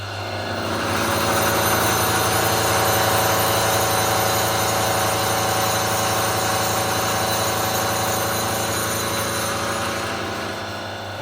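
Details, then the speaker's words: Milling machine cutting a Leyland P76 V8 cylinder head in about 5 mm increments, steady motor hum with rapid even chatter about four a second from the straight-cut gears under cutting load. "because it's all straight cut gears it Chatters like a party you probably hear the noise that it makes when it's Machining"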